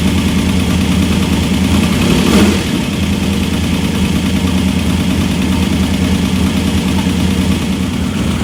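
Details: Engine just back running after head work: deep, even idle with one quick throttle blip settling straight back; sounds healthy, though an ARP head bolt was leaking and later snapped.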